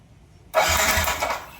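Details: Yamaha NMAX V1 scooter (odometer 105 km) that would not start for a month: about a second of quick starter whirring that never fires. No check-engine light and the fuel pump works; a clogged fuel injector starves it of fuel.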